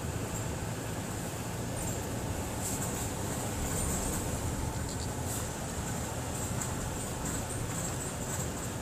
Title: 2016 tacoma audio squeaky front end over engine noise while driving